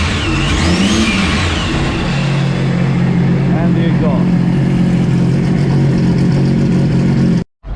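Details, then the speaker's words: Overhauled Sea-Doo RXT 260 with rebuilt supercharger, added blow-off valve, intercooler, intake and rear exhaust: strong, even engine note climbs and holds, with a sharp blow-off whoosh early on. Pulls cleanly; normal revving with blow-off valve. "but uh the best part is with the blow off sounds like"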